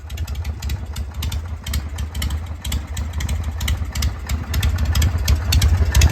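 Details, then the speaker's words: 1981 Harley-Davidson FX Shovelhead with newly built exhaust and complete rewire: deep, loping beat of about four pulses a second that swells slightly; a little white smoke and some black, but it runs healthy. "Still blowing a little white smoke, but bike ran great. Got a little black there."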